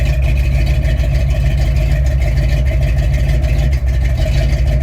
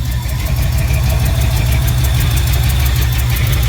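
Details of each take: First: 1968 Ford F100 360 V8 idling after a knockoff carb, blamed for its surging idle, was replaced with a rebuilt Motorcraft 2150. Deep, steady burble; an exhaust manifold leak is audible, and it idles up with the choke off. Smooth idle. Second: 1968 Ford F100 with 360 V8, after rebuilding a Motorcraft 2150 carb that fixed a surging idle; Flowmaster exhaust. Deep, rumbly idle with sharp ticking in time with firing from a leaking exhaust manifold.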